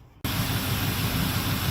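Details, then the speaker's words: 1981 GMC C3500 dump truck, small-block Chevy 350 V8, after tune-up (plugs, wires, cap, rotor): catches after a moment and settles into a steady even rumble, no misses or ticks; valve cover oil leak still pending. "Alright YouTube, so there it is, she's running."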